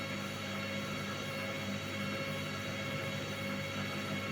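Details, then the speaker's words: Candy washing machine that showed error E08, after repair, spin test: steady, even motor hum with no crackle or sparking; the brush noise is gone and the machine is considered repaired. "Et on n'a plus du tout le même bruit. Là on entend bien le bruit des... on entend bien le bruit du moteur. On n'entend plus le bruit des charbons."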